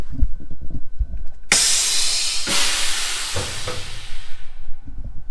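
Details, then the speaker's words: Cattle trailer after hauling, below freezing: air pressure released, loud sudden rush of air holding a few seconds then tapering as the spring brakes lock on; normal air brake release. "So I'm gonna release air pressure right now, which you'll hear, and then the brakes will lock on."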